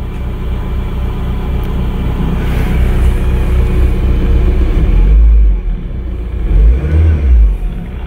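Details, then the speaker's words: 1992 Toyota MR2, sat for many years, on its first fire-up, run briefly with no coolant: deep, even rumble swells with throttle blips and falls back cleanly, no knock or miss. Sounds really good; normal revving. "dude it sounds really good for a car it's been sitting for many years"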